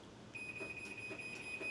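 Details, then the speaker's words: Chamberlain 1-1/4 HP Smart garage door opener closing on an app command: a steady high tone with short beeps about every half second and flashing before the door moves, the normal pre-close safety warning. "It's beeping and flashing and it's going to wait a few seconds before it shuts down the garage door."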